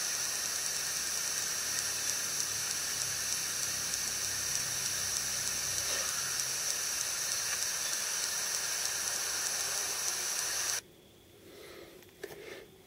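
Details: iPod Touch 4th Gen recording in 720p HD video mode (also affects Voice Memos): fast, even ticking, about three per second, under steady hiss until it cuts out. The Wi-Fi radio causes the interference; turning Wi-Fi off removes the ticking.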